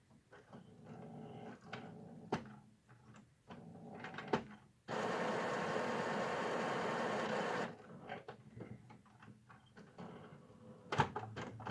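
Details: Epson WorkForce WF-3640 powered back on after clearing a paper jam behind error code: scattered clicks and soft ticks, a steady three-second mechanism whir, then light clicks. A normal start-up cycle.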